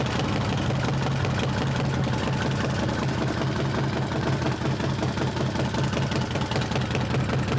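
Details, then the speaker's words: Harley-Davidson trike V-twin with an S&S big bore kit, first start after rebuild following trouble at 450 miles, oil pump primed: an even, loping idle with a steady low beat and no ticking or clatter. It sounds healthy, with oil pressure returning to the tank. "That sounded really good. Uh, we have oil pressure."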